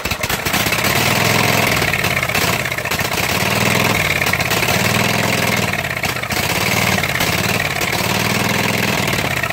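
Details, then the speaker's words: Flooded Husqvarna mud mower, 18hp Kawasaki V-twin, after being submerged in a pond: runs rough and loud, speed surging and sagging, living on starting spray and starved of fuel; contaminated fuel supply with pond debris in the fuel filter. "that's my clutch it will stay running so now i just need to get gas going to it good and it'll run"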